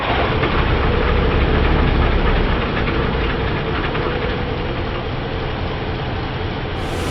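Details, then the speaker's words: 2008 Ford F-150 King Ranch 5.4L 3-valve V8 cold start: fast loose metallic rattle from top of engine, suspected phaser or lifters; no rattle on next startup; timing chains, phasers, tensioners, oil pump replaced. "uh yeah I heard the rattle did you guys hear it I think I heard it right over here rattle noise top side of the engine we believe it's a phaser or lifters or something of that nature"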